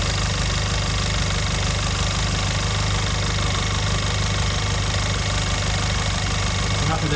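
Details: Audi A1 1.4 TFSI (CAXA four-cylinder petrol) idling after a filter service with the charge pipe refitted: a smooth, even, constant low hum with no misfire or ticking. Normal idle.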